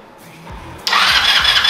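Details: Yerf-Dog Spiderbox go-kart with a new GY6 150cc carburetor fitted after rebuild: short crank, then catches cleanly and runs with a steady buzz without sputtering. Normal start after repair.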